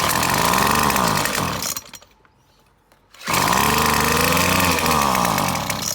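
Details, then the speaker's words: McCulloch T55 line trimmer two-stroke, spark confirmed, fresh fuel, running on fuel poured into cylinder: screams at high revs then sags almost to a stall when throttle drops; won't idle, owner suspects blocked carburetor jet or loose part. "so clearly the problem is it just doesn't want to idle so I'm gonna guess there's a jet blocked in the carburetor or something similar"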